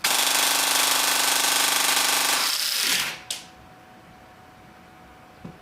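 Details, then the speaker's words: T238 brushless 480 motor in an AEG gearbox: very fast, even rattling cycle with a high buzzing motor, then an abrupt cut-out as something fails, likely a piston rack gear. High-rpm cycling sounds normal until it stops. "all right earpro on ipro on ready contact wow listen to those rpms"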